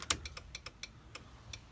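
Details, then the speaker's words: Honda Civic EG turn signal: fast ticking much quicker than a normal blinker. The hazards work, and the owner suspects a rear bulb is out or a wire is shorting. Turn signal hyperflash. "that means the rear one doesn't work i'm chinese signals are working that means this maybe this bulb is out because it's making that weird TTT"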